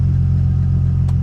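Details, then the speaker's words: Nissan 350Z after manual transmission swap, test start with oil and coolant filled: smooth even low idle rumble with steady beat, no ticks, knocks or misses; sounds good. "but sounds good, man."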